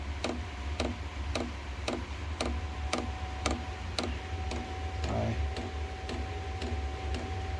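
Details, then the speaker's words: Cheap Chinese diesel heater for a shed, just lit: crisp ticks about twice a second over a soft steady hum as the dosing pump pulses and it starts burning; normal running. "so the little fuel pump is going now and this is I can hear it burning now you can smell it as well of course once it starts burning"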